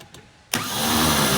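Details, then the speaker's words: 1954 Chevrolet on a booster pack, cranked fine the day before: starter whirs up to a high, steady free spin with no cranking rhythm; Bendix drive suspected not engaging the flywheel, starter to be pulled. "yeah sounds like the uh sounds like the Bendix ain't bending"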